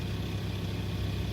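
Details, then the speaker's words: VW Touareg 2.5 TDI idling: fine, fast metallic rattle like a small bell; owner suspects gear rattle, which goes away completely when the air conditioning is switched on and loads the engine. "Ну вот этот треск, конечно, напрягает. Вы его сейчас слышите. Как мелкий колокольчик трещит, блин. Трещат шестерни."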